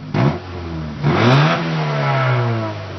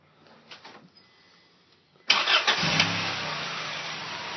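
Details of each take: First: Honda with about 70,000 miles and slight lifter knock, on stock manifold and stock muffler before custom manifold and catback: two smooth rev blips with a soft, muted exhaust note and no knocks or rattles; normal quiet stock exhaust. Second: Honda with about 70,000 miles and no recent oil change: starter cranks briefly, engine catches and settles into a busy idle with a faint light tick at start-up, owner suspects lifter knock.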